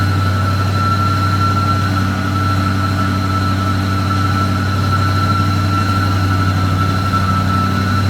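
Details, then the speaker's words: 1966 AMC Marlin 327 V8 after full rebuild, cold start: loud steady whir and high whine over a fast idle from a clutch spinning when it shouldn't; noise goes away as it warms. "Right away you can hear that clutch. Not supposed to be spinning. We'll fix that."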